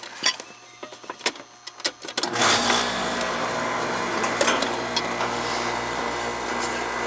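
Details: Central AC outside condenser that wasn't running, after tightening connections (a component noted as puffy): a few clicks, then fan and compressor come up to a steady, even hum; running normally.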